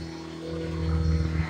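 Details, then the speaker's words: Bissell Lift-Off vacuum: low, steady droning hum with little bite or rising pitch, a tired-sounding weak motor; owner thinks the vacuum has reached end of life, cause unconfirmed. "hear that little motor screenwriters laughs no it's not much I mean I think the vacuums reached its uh reached it's done in life here guys"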